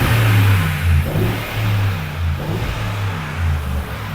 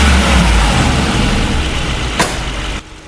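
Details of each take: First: Mercedes-Benz G63 AMG V8 after misfire repair: deep burble through a few even revs with no stumble; the cylinder one fault was fixed with a new part and new spark plugs, engine light now off, sounding much better. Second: Mercedes-Benz G63 AMG V8 with engine light and loss of power: uneven, shaky idle vibration; diagnostics show cylinder 1 combustion misfire on bank one.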